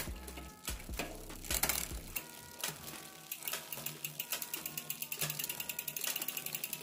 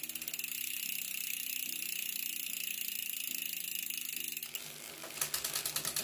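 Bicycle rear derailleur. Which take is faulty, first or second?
first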